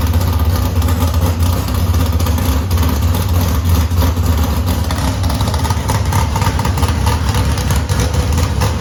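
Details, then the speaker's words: S10 bracket drag car that sat almost two years, back running after the transmission and driveline went in, first start: steady, deep, even V8 idle with a firm low rumble and no knocks or misses; runs as good as before. "we got it back to a running state we put the transmission in put the drive line in got the engine running it runs really good just like it did"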